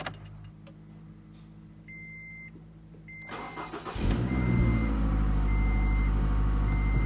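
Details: Scion tC 2AR-FE petrol engine after water pump replacement (bad pulley bearings) and new drive belt, coolant refilled: cranks, catches and settles to a smooth even idle with no bearing whine or growl; previous noise gone.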